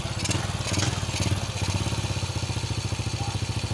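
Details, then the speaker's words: Honda Supra X single-cylinder motorcycle after repairing broken cam chain tensioner: steady, even idle at about two beats a second, no cam chain rattle; much smoother than before, the rough rattling noise was the broken tensioner. "Bagus sekali ya hasilnya seperti ini setelah kita melakukan perbaikan pada bagian tensioner. Nah, jadi kerusakannya ada di tensioner yang patah. Jauh lebih halus daripada sebelumnya."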